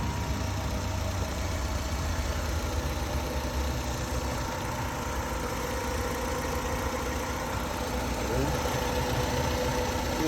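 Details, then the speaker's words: 2007 Kia Sportage 2.0L, previously a crank-no-start with fuses, ECM relay and control board checked: starts and holds a steady, even idle with a smooth low hum and no misses, knocks or stumbles. "As you can see the car has started. As you can see the car has started."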